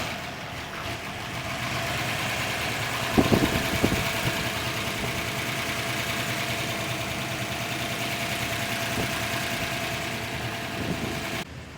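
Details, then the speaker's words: 1959 Chevrolet Corvette, original 283 dual-quad 270 hp V8, 4-speed manual, 24,800 original miles: after a couple of starting thumps the engine settles into a steady, even idle with no knocking or stumbling; normal idle. "here's the 283 the original 283 dual quad Cu 270 horsepower like I said original to the car"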